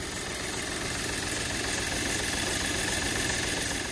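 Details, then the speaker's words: 2008 Audi A4 2.0T Quattro 6-speed manual salvage car, idling cold: uneven stumble and irregular ticking under a thin whistle, sounding like a misfire. "it really feels like we have a solid misfire on one of the cylinders but it's almos"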